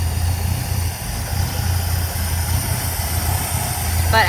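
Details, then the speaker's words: 1959 Cadillac that sat a couple of years, engine bay: low, even idle with steady deep hum, no ticking or knocking; slight power steering pump noise, loose exhaust and vibrating sheet metal noted; normal idle, no engine knock. "As for knocking or any engine noise, this thing is as quiet as a mouse."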